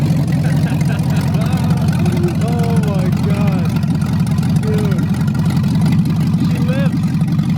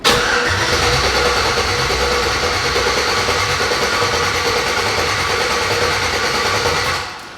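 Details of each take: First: 1987 Chevy S10 with LS V8 swap and open headers, restarted after sitting six months: deep, steady rumble idling down quickly to about 900 rpm; normal idle, very loud. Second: LS-swapped Chevrolet S10, open-headers first start with a fuel bucket setup, in park: even rhythmic cranking for about seven seconds that never catches or fires; crank no start, not getting fuel, possibly an ECU setting.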